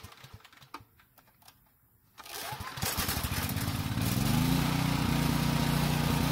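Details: Generator that ran only on choke: catches after a pull, settles into steady even drone, holds speed without hunting or surging; normal running.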